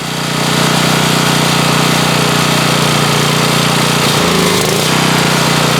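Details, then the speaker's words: Warmed-up Generac 4000XL generator (Briggs & Stratton engine, Nikki carburetor), choke fully open, before cleaning: lumpy, wavering surging as the engine hunts for fuel and the governor backs off the throttle; the dirty carburetor was cleaned and that fixed it. "what this engine is doing when I open the choke all the way is it's hunting for fuel that surging that we were seeing is the engine basically running out of fuel"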